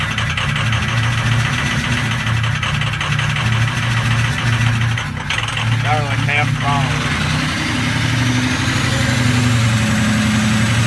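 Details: Ford 6.0L Power Stroke diesel after glow plugs were cycled: a lumpy, uneven idle that stumbles and shakes. Misfire is from bad injectors, with #7 nearly dead and #3 failing; the engine barely runs until warmed up.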